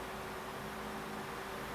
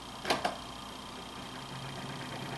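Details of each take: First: Cheap Hampton Bay oscillating desk fan made by Midea, after a rattle mainly at startup first blamed on bearings, now runs with a smooth airy hiss and faint hum; the cause was the blade loose from the shaft, and it is quiet again. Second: Hampton Bay (Midea) oscillating desk fan: click, then steady motor hum with a buzzy rattle as it spins up, worst on startup; suspected bearings but the blade had come loose from the shaft; quiet once tightened.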